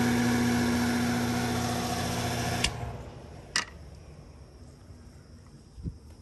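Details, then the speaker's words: Condenser fan motor on a roughly 2018 AC unit cutting off intermittently, jumpered to run alone after reverse-rotation fix: loud rough roar winding down after shutoff with a few clanks; really loud, motor replacement recommended. "i am going to recommend the motor anyways because it sounds really loud"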